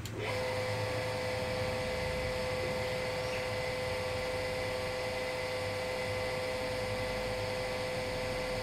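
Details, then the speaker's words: Water pump run with no priming water inside, dry impeller, trying to draw water from a short height below: motor spins to a steady thin whine with no load or water change; dry-running, cannot suck. "Sudah beberapa detik berlalu padahal ketinggian cuman segitu ya pompa ini tidak bisa menghisap Saya matikan"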